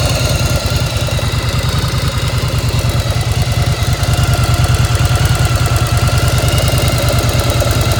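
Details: 1995 Yamaha XV1100 V-twin idling warm with choke off: steady metallic clatter about three beats a second over the exhaust thump; owner unsure whether the clank is normal, source undetermined.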